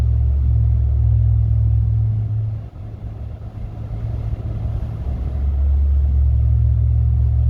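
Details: 2019 Ram pickup, inside the cab while driving: deep steady drone or hum with vibration that swells and eases. Present since new, about a year; the dealer could not replicate it, and the source was not found.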